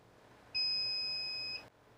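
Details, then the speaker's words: Raritan Dominion LX-108 IP KVM after power-supply replacement: one clean, steady high beep of about a second at power-on, the normal boot beep, with video expected by then; the unit boots fine, though its fan isn't spinning. "once the system boots and we hear that beep we should have video by then"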